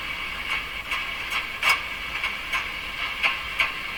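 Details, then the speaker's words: Hallicrafters S-40A shortwave receiver: each light tap sets off a short, sharp, high-pitched ringing burst over a quiet hiss, the same on every band. Microphonic oscillation; owner suspects a capacitor contact issue. "it's microphonic sort of what's happening man what's happening"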